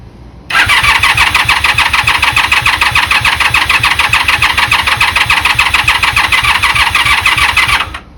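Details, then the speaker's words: 1996 Honda Magna 750 that sat in a barn about four years, first start attempt. Fast, even starter cranking at about 3.5 pulses per second for seven seconds without firing; the choke is tried next. "All right, let's see if we get enough gas flow. But let's see. Didn't sound like it was starting. Choke."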